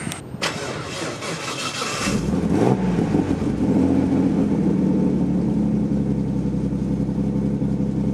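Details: Nissan R33 Skyline with freshly rebuilt RB30 bottom end, RB25 VCT head, RB26 cams, Borg Warner EFR 8374 turbo, Link G4+ ECU, first startup after rebuild; cranks, catches quickly, revs and settles to a strong, even idle with no knocks or misses, healthy.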